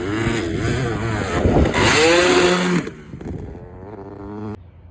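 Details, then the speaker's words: Two-stroke dirt bike at a sand pit with throttle stuck after a jump, rider trying to fix it at the bottom of the pit: screams at high revs, pitch surging and sagging instead of settling to idle; stuck throttle. "So, that's where my throttle stuck and I sat at the bottom of the pit trying to fix it, trying to fix it, trying to fix it, and finally did it."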